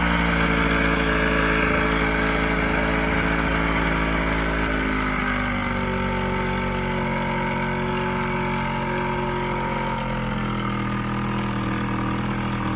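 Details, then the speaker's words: Old 90hp Johnson outboard on a 1987 Crestliner, sat about a year, fresh plugs, started on starting spray: steady but uneven burbling idle with wandering pitch; rough running, needs carb work and fuel line cleaning. "all right well she seems to want to run but she's going to need some carb work"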